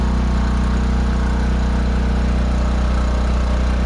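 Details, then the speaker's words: Generator running with a new elbow fitted on thin-wall 3/4" conduit exhaust: loud steady low drone with buzzy even pulse near three per second; the squared-off elbow touches the enclosure top, vibrating the door; muffler around 415 degrees. "So it's making a little more noise vibrating the whole damn door there."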